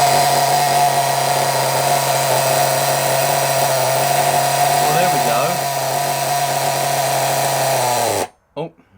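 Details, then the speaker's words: Nitro RC engine, possibly not run in: high-pitched buzz wavers midway then cuts out abruptly; running unevenly and stalling, owner unsure why, suspects the clutch. "it's not it's not happy um all i' done was lean it weaken the mixture slightly on the low end and on the high end and I managed to get it run that was probably running for about 2 minutes then on its own"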